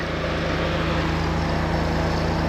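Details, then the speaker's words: Chevy 250 inline six, cold, idling slowly and evenly at 540 rpm with soft low pulses while the spring choke slowly opens; a little low, expected to rise as the choke comes off. "so we're at 540 RPM that's a little low hopefully that's going to rise as this choke comes off"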